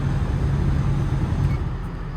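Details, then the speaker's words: Eight-and-a-half-tonne machine that won't move: diesel starts without trouble and holds an even low idle with no knocks or misses; engine healthy. "now what i can do is start the machine first now it starts no trouble"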